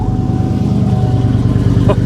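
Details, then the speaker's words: GM V8 with a dead battery (7.9 V), jump-started: deep, even burble with a steady low throb and no knocks or misses; healthy idle. The alternator charges at 14 V afterward. "Oh, yeah. Oh, I like that. Okay, this sounds nice."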